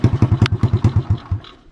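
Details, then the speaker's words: 1984 Honda ATC200X trike fitted with a 1988 TRX200SX engine (electric/pull start, automatic clutch, reverse), maiden ride after fabrication: single runs smoothly with even firm thumps fading as it slows, no weird noises or rattles; normal running. "Oh boy, folks, we've got an absolute winner here. No weird noises to speak of. Everything seems to perform fantastic."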